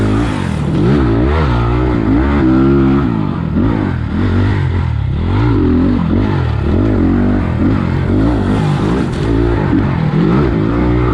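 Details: 2020 SSR SR300 Chinese dirt bike fitted with a Lectron carburetor and idle raised, trail riding over bumps: revs rise and fall smoothly, with no stumble or bog at the bottom. The engine runs clean and healthy.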